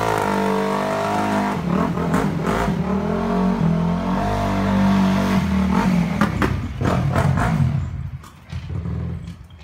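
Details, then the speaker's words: Honda CRF250 just reassembled, carb area sprayed with carb cleaner to check for an intake leak; revs hold unevenly with a few sharp pops, then the engine fades and dies while riding despite open throttle. Cause unknown. "I got to about around the truck that's right there and then maybe going I was willing rot down this little path and it just died as you can hear"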